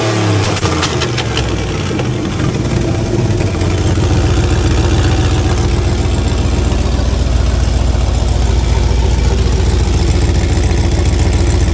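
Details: 1985 Monte Carlo with a single-turbo 4.8 V8 and 4L80E, being fixed for not making boost: deep loud idle with a sharp puffing tick on each firing pulse; exhaust leak, possibly at an unused O2 sensor plug.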